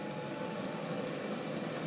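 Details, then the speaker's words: 5500M pellet stove on auto, heat range one, just after lighting and first start-up: a steady, even whoosh and low hum from the room fan, with no rattles or scraping. Normal blower operation. "you can hear the fans kind of stok in the pot just briefly turning on and off there it is little Dusty first start up"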